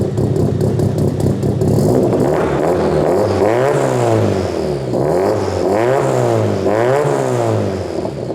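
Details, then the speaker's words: Drift car engine started after an oil line refit: lumpy, uneven note surging and sagging on blips, running on three cylinders. Unplugging injectors showed cylinder 3 dead; owner planned a coil swap between cylinders 2 and 3. "for some reason it's on three cylinders and unplugging the injectors I was able to work out that cylinder 3 is basically not doing anything"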